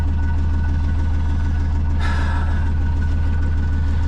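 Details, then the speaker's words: Sailboat inboard engine ticking over smoothly at 850 rpm with even deep thump, no misses; earlier rough running and one-cylinder firing was caused by fuel tap left off. "Ticking over beautifully at 850 rpm. Can you hear it?"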